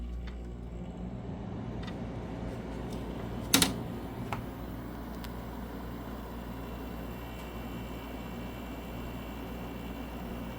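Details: Newly installed window air conditioner running: smooth steady low hum with one brief click, no rattles or squeals; blowing ice cold air and sounds great, normal running.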